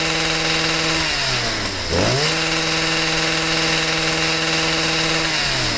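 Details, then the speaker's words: Stihl sweeper MM55 two-stroke with replacement Hipa C1Q-S97 carburetor, idle set, no mixture adjustment needed: steady idle, revs up cleanly and drops straight back to even idle; normal idle and throttle response. "and like all the other hipaa carburetors this doesn't even need any mixture adjustments throttles right up goes back down to idle"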